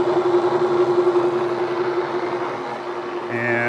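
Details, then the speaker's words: Cincinnati milling machine with spindle at 54 RPM and feed about 2 7/8 in/min, cool mist on, cutting down an existing slot: even, steady hum with one constant mid tone, no chatter or squeal; cutting smoothly. "So we're just kind of going down this slot we already cut. We'll make another cut after this, a little deeper, and see how it does."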